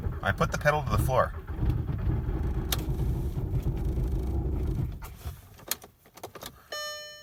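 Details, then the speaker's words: 2003 Jetta TDI (ALH) at about -19 to -25°C with ~20% biodiesel gelled in tank; starter churns slowly for about four seconds, thick oil, no oil pressure, never starts. Biodiesel suspected as a contributor. "oh the oils a little bit thick to you boys decent battery though we have no oil pressure I don't think she's gonna go voice"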